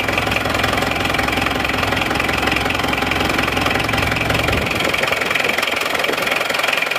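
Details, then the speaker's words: Isuzu Panther diesel, cold, just started after new NPR liners and piston rings: a sharp metallic clatter about twice a second rides fairly regularly over the idle. Injection timing judged too far advanced, to be retarded later. Diesel knock. "Terlalu maju ini timenya. Tapi ora tim. Timing terlalu maju, tapi sementara gini dulu nggak apa-apa."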